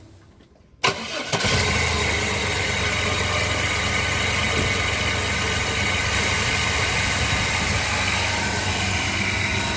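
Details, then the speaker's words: 1997 Chevy S10 that had a shaking problem, started after the mass air flow sensor fix. It cranks once, catches right away and settles into a steady, even idle. It starts and idles normally. "oh yes nice now it's nice and sturdy a little bit shaken it's probably because it's cold but oh it's starting right up"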